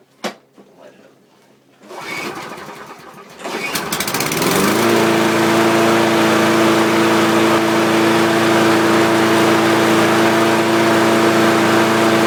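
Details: Walk-behind lawn mower, primed and pull-started right after the blade was sharpened and bolted back on tight: catches after a couple of pulls, then settles into a steady, even drone with no knocks or misses. Runs cleanly.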